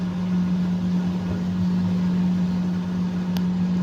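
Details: Fisher & Paykel direct-drive washer motor that had metallic grinding and no wash or spin: steady low hum with strong even tone near 180 Hz, no scraping or grinding; runs clean.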